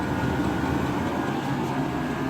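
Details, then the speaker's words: Chinese diesel heater installed indoors, running on heating oil at its highest setting on first fire-up, with a steady, even blower roar and low hum. There is no ticking, rattling or surging; it runs normally and noisily at full output. "I've cranked that up to its highest setting, and that's why it's noisy, and it's hot in here, really hot."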